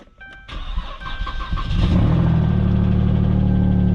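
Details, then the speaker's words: V6, 72,000 miles on odometer, salvage auction: catches after a short crank into a loud deep raw idle rumble because the exhaust has been ripped out completely; shut down quickly over possible oil pan damage. "that means the exhaust has been ripped out completely not the engine you can hear it it is a v6"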